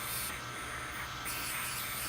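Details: Constant high-pitched hiss, steady with no rhythm, from an old unchanged fitting leaking on an inherited built-in workshop compressed air line during testing; fitting to be swapped for a new one.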